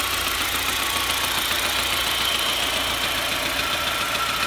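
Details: SAAB 9000 2.3T turbo petrol engine warm at idle: steady fast ticking-knock, fine when cold, knocks only when warm and harder when revved; owner unsure whether valvetrain noise or rod knock.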